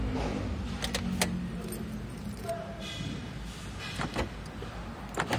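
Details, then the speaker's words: Daihatsu remote alarm switched to silent mode (ignition cycled ACC-on three times, dashboard LED lit): only soft door-lock thunks, no beep or chirp and no turn-signal flash; silent lock/unlock working normally. "Nah, ini sudah bisa lock unlock dengan atau tanpa bunyi beep ataupun lampu sen nyala."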